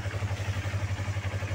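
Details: Yamaha R25 250cc motorcycle at idle: steady, even low pulsing with no tek-tek ticking or tapping over it; the engine sounds healthy and stock.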